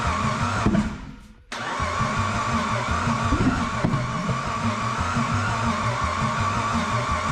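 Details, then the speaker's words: Turbo Pajero with newly fitted forged V6, petrol-flooded: cleaned plugs refitted, injectors disconnected, engine cranked to clear unburned fuel; steady rhythmic cranking that never fires; flooded engine, no start. "we decide to clean the plugs we have and disconnect the injectors put the plugs back in and spin the car over to burn off any unburdened fuel"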